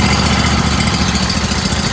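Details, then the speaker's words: Pressure-wash trailer, two engine-driven pumps feeding a 14 gpm surface cleaner, throttled up to about 30%; steady rapid engine beat with a firm even drone settling as the pumps take up water; engines pulling their load normally. "Then I'll increase this one to 30%. You can hear them taking the water to load. So that means they are pushing the water."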